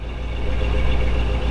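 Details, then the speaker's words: 1955 Chevrolet Bel Air 265 V8 with Powerglide, just started and warming: low, soft, even idle rumble with no knocks, ticks or misses; quiet, smooth-running engine. "Get out and let you hear it run just a little bit, kind of give you a feel and invite you in."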